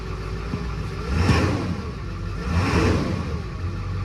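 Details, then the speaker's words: 2003 Ford F-250 7.3L Power Stroke turbo diesel, bought after sitting for an unknown time: two clean revs over a deep even diesel rumble, no misses or clatter; it does not sound like it needs injectors. "it sure as heck doesn't sound like like this truck needs injectors it sounds perfectly fine"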